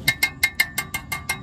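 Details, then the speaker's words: 2005 Honda Odyssey, after a hose clamp fixed a loose part that rattled under acceleration: tapping the spot now gives crisp metal taps ringing cleanly with no rattle, a solid metal sound. "just kind of a solid metal sound so that's what we're looking for hopefully anyway"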